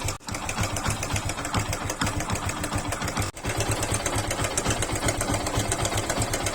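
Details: Yamaha FZ/Fazer single-cylinder motorcycle idling with a fast, busy sewing-machine clatter over the low engine thump; timing chain rattle, fixed by replacing the timing chain tensioner.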